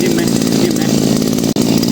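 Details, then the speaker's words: 411-type two-stroke brush cutter that was hard to start and stalled at idle, after crankshaft seal replacement and idle tuning: high steady buzzing with a brief cut near the end, even firing with no stumble or surging. Normal running after repair. "สตาร์ทติดแล้วก็ฟังเสียงเครื่องครับเรียบร้อยดีครับ"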